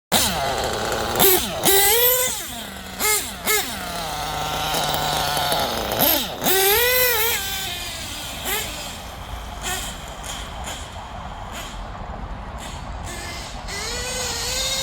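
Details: Small engine, after LRP exhaust leak fixed, still being tuned: clean high-pitched throttle blips up and down, no hiss or spitting between revs; normal running.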